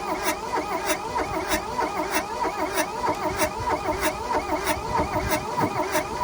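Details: 1982 Volkswagen Caddy diesel pickup, sat in a junkyard about 20 years, glow plugs heated, injectors cracked loose: even cranking at about one and a half compression beats per second, no firing; won't catch, battery suspected weak.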